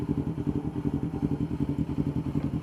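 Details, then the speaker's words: Yamaha R25 250cc after porting and reassembly, started with ignition on: fast uneven pulsing clatter at roughly eleven beats a second over the idle; sounds odd, cause not identified. "Oke, kita coba hidupkan. Kontak udah on ya. Tas starter. Kok ngene suarane?"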